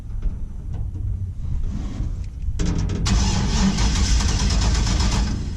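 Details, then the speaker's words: 1949 International KB2 with LS engine swap, E38 ECU, L96/6L90e, fuel cell with over-a-year-old fuel: steady slow cranking a couple of seconds, then suddenly catches into an uneven run; hard start, old fuel suspected. "uh-oh she don't want to start anymore"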